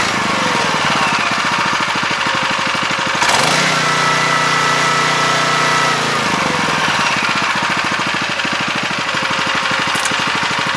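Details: 7 HP Kohler air-cooled engine on a hydraulic power unit, after thorough carb cleaning, fresh fuel and idle/air screw adjustment: fast, steady firing holding even through a brief speed change, no misses; running normally.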